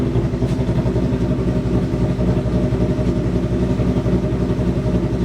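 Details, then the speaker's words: 2023 Mustang on E85 with stock headers, just after start: fast, even pulse with lumpy exhaust note as high idle slowly drops toward 1,000 rpm; normal post-start high idle. "It's still high idling. It's slowly starting to come down. It's at 1,000 RPM right now. It's dropping."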